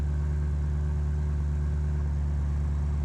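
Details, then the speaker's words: 1984 Ford LTD Crown Victoria 302 V8, idling about 5 minutes: deep thump about 1.5 per second shaking the car; owner suspects air in cooling system, running very hot. "It's been about 5 minutes and it's kind of like the car has developed a bit of a a heartbeat. I don't know if you can hear that. But there's like a thump bump thump thump. It's kind of shaking the whole car."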